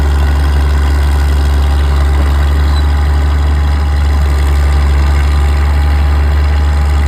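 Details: Old Caterpillar D6 diesel dozer warming up at idle, with a deep, steady, even rumble and nothing sharp over it. It smokes a bit but sounds good; normal healthy diesel idle.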